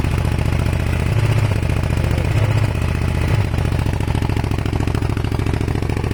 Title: Kawasaki er500 white smoke misfire broken head gasket? advice needed please